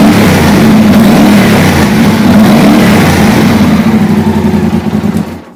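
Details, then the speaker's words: Yamaha TDM 850 twin idling after the cam chain tensioner was manually pushed in: a loud, clattery top-end rattle over the beat until shutdown. Barely quieter than before; the cam chain is suspected to need replacing. "слышим, что особо результатов никаких это не дало. Стало чуть-чуть тише, но, судя по всему, надо менять цепь ГРМ."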